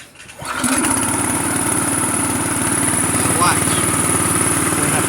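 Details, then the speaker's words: Gas engine air compressor with speed control, butterfly lever set straight out so the compressor doesn't load, easing starting. Engine catches after a short crank and settles into a quick, even putter about four beats per second. A normal unloaded start. "Where this one here, which is the air compressor itself, doesn't operate, makes it easier for the engine to start."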